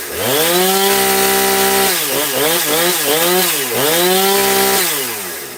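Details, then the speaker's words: Husqvarna 460 Rancher chainsaw, newly bought, first fuelled start with the bar it came with: crisp revs climb and drop on throttle blips, smooth idle return, no bogging; runs well out of the box and seems already tuned. "Sounds like it's running really good right out the box. So, that's that's nice. It came with the bar on it. It sounds like it's already been tuned."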